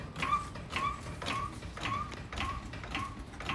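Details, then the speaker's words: Car previously diagnosed with a bad wheel bearing: rhythmic rubbing squeak about twice a second tracking wheel rotation; fender liner sitting too close, tire rubbing the liner, not a wheel bearing. "When the wheel was moving, the tire was rubbing against the liner, creating that noise she had been hearing."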